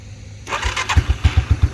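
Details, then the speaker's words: 1987 Yamaha Moto 4 YFM-350ER 350 single-cylinder ATV, electric start in neutral, no choke; starter whirs briefly, catches at once, settles to even thump about eight beats a second; starts right up every time; normal start and idle. "other than that it's a reliable atv and all the gears work great everything sounds nice starts right up every time"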